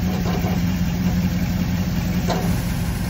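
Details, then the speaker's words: Crusader 8.1 marine inboard with aluminum transmission, after fixing a misfire caused by loose plugs and a brittle plug boot: low, steady idle with hardly any of the earlier transmission rattle. "we got our a1 misfire fix you can see there's hardly any transmission noise at all"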